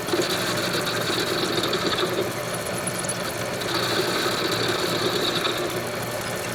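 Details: Homemade lathe after fitting new headstock bearings and spindle, turning round stock at normal speed: even steady spindle whir, no knock or grind, faint ringing; bearings healthy. Normal running.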